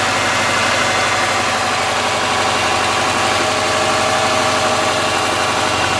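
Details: '03 Subaru Forester, 178k miles, ~150 miles after head repair for a dropped valve guide, cold idle: fast light ticking, about four a second, from driver-side front cylinder exhaust valve, clearance .029 vs about .010; adjustment fixed it.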